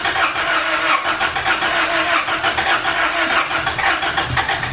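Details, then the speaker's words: Engine after installing new valves in cylinder head, timing checked fine: starter spins it hard but it churns unevenly and never fires; valve clearances found all super tight, then readjusted. "What we did was we readjusted the valve. So we did basically a valve job to see if it works. They were all super tight."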